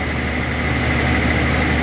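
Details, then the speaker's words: Datsun 280ZX targa, dry-stored and unserviced 20 years, petrol-contaminated oil: first turn of the key, steady low even idle with no misses or surging; normal idle. "First turn of the key. That does sound better."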